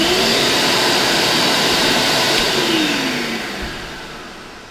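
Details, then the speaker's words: Kärcher Puzzi carpet extractor after suction motor replacement: steady high airy whine, even and smooth, slowly fading as it winds down; motor running normally. "Então eu vou ligar a bomba d'água primeiro, seca, né? Tá funcionando, ela tá zunindo. E vamos ligar aqui o motor."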